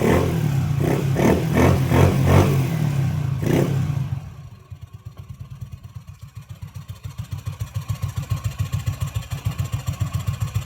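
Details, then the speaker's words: Yamaha Mio MXi scooter after fixing a no-start from shorted white and red wires (fuel pump and IC also replaced earlier); hard start with throttle blips, then steady even single-cylinder putter at low idle, running smoothly. "So ayan yung nakita niyo hard starting siya nung una no. So manda naman siya matino yung menor."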